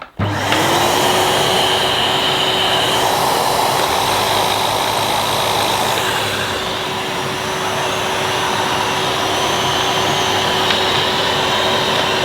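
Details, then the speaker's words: 2005 Numatic Edward Turbo vacuum with turbo electric head: steady motor hum with fixed whine, but the head's deeper whirr drops out partway; intermittent cut-out, owner suspects a loose connection in the head or switch. "I think there's a little loose connection somewhere, so I don't know whether it's in the head itself or it's something to do with the switch, and I should be able to access the switch."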